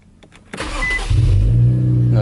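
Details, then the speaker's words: Infiniti Q50 after installing an AMS fuel pump, running E30: brief crank, catches within half a second and settles into a steady, even idle with no stumble. Owner heard it slightly rough starting, but sees nothing abnormal; normal start. "oh i heard it a little rough in stardom but it's just probably those empty i feel them but far so good don't hear or see anything abnormal"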